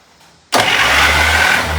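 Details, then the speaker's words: 1951 Buick straight-eight from an abandoned restoration, starter triggered directly with 12 volts (likely a 6V starter): sharp engagement, fast even steady whir, no dragging; starter working fine. "I guess that starter works. >> That starter sounds good."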